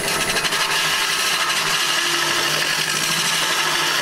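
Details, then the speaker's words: Wood lathe hollowing a birch lamp shade: harsh, steady scraping rasp with no clean cut as shavings pack the hollow form; time to stop and clear the shavings. "hear that noise it's time to stop and get rid of some of those shavings"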